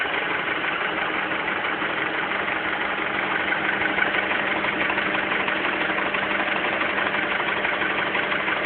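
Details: Honda Accord with K20 engine: a steady idle with a regular tapping knock about twice a second riding over it, origin unknown.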